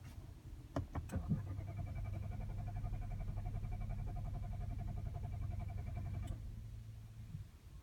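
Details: 2017 Nissan Qashqai 1.2 DIG-T 115 with under 2,000 miles: intermittent crank-no-start, engine turns over well, even compression, never catches; occurs after a 2-mile run and a 10–15 min rest, Auto-Stop-Start error shown; fuel rail pressure sensor, battery, fuel pump relay already replaced without fix.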